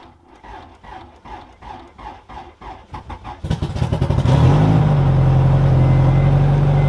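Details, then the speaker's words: Car with battery just relocated to the trunk via plug-and-play kit with circuit breaker; weak battery wouldn't crank, so on second attempt with a battery charger attached it cranks evenly about three seconds near four beats a second, catches, revs briefly and settles to steady idle; normal start. "So let's put the little battery charger on it and see if this cranks over. All right, attempt number 2."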